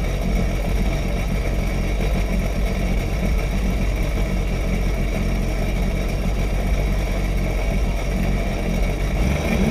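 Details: Sea-Doo jet ski dewinterized after winter storage, running on the flushing hose: engine revs up and settles into a steady, even run with no knocks or misses; healthy.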